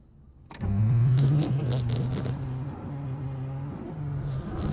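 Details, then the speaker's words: Mk1 VW Rabbit diesel, hard starting, better battery on charger plus jump box, remanufactured starter fitted: steady low starter whir with no compression pulses; starter spins freely without turning the engine over, cause unknown. "the engines not turning over just hope you can hear it out there but it's just like spinning"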